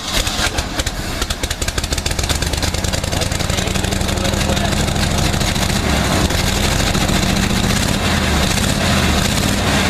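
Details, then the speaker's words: 1959 Chevy Viking 60 tow truck, not run for 12 years sitting in bushes, ignition rewired; uneven cranking catches and builds to a steady rumbling idle that holds, smells of gasoline, first start after long storage. "it got a little maybe that's what you get for not running for 12 years right sitting in the bushes put a key in it and turn it on"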